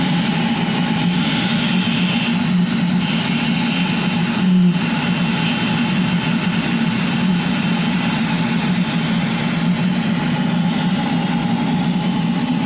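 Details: Eberspächer Hydronic D5WZ heater test run after unit repair: steady even combustion roar with constant blower hum, no surging or popping; burning cleanly.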